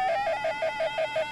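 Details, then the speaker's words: Homemade Arduino barometric personal altimeter startup sound: short high beeps about six per second with crunchy, crackly interval glitches; caused by Arduino Tone and SoftwareSerial LCD writes both using a timer, glitch disappears when LCD writes disabled. "there's a sort of short period of time and that interval where it sounds really crunchy it's not a perfectly smooth value and and I think the reason is doing that is because i'm using a i'm using arduino library to drive a pin on and off"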